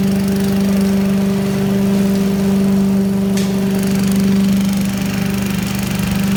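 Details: 1980s Billy Goat vacuum single-cylinder engine after fresh fuel: steady even putter at constant speed, no misses or knocks; needed extra pulls, owner suspects low compression; running clean, normal.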